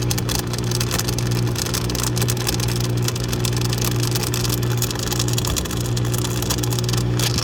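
Steady motor hum under a harsh, rough grinding rasp that never lets up while it runs; something is grinding in the dishwasher motor. Cause suspected, not confirmed.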